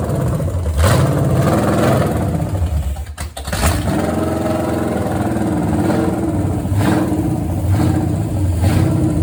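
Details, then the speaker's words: Restored 1970 Pontiac GTO 400 V8 (YS code, 350 hp) on test stand, Summit 2801 flat tappet cam, 9:1 compression, Quadrajet carb: fires and settles into strong, even rumble with a couple of throttle blips; healthy, smooth running. "hang in there, because we're going to start this up and let you hear how nice it runs."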